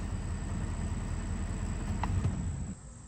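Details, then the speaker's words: Ford 6.7L diesel after replacing broken fuel water separator valve and priming the fuel system by cycling ignition; steady low even idle with no misses or knocks; normal idle. "the fuel pump is done pumping the separator is full again nothing's dripping we're all done let's go ahead and start it up all right all set to hit the road"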